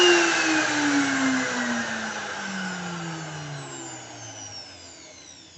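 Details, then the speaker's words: BULL BL2601 wood router, new, 930 W, rated 23000 rpm, 1/2" collet, 220 V, running with no load: smooth high-pitched whine winding down steadily after switch-off, no rough or squeaky sounds; healthy motor, vibrates strongly enough to move if not held. "Mesin baru seharusnya terdengar baik-baik saja. Tidak ada suara kasar atau berderit, lho."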